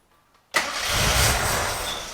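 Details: Gilbern Invader Mk3 one-owner barn find: silence, then the engine fires on the first catch and settles into a smooth, even idle; a clean, healthy start.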